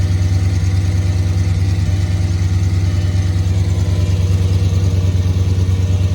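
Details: Audi S8 D3 5.2 V10 just after cold start: deep steady idle with a faint quick tick, suspected exhaust leak; the noise goes away once warm.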